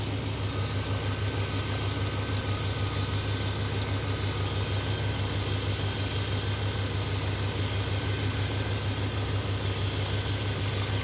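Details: 1995 GMC V engine after distributor replacement and ignition timing reset to 0°: steady, even low rumble, regular firing, no misses or knocks; normal clean idle after repair.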